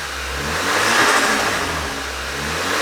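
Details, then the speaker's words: VW Scirocco 2.0 TSI at first start-up after an engine knock repair. Revs are held above idle with a gentle rise and fall, smooth and even with no knocking or tapping. Oil pressure is good; the dash light shows only because the switch is disconnected. "i'm just giving it some revs and monitoring the oil pressure which is really good just so the engine isn't you know at idle"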